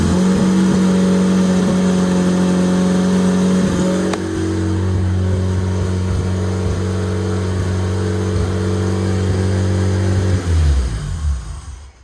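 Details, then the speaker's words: Project build engine on its first start, running on a standalone EMS: steady, even running with a smooth low hum and no misses or knocks for ten seconds before a clean shutdown. Normal idle, though several other problems were noted. "all right fellas lots of problems but we got it to go fired up on stand alone"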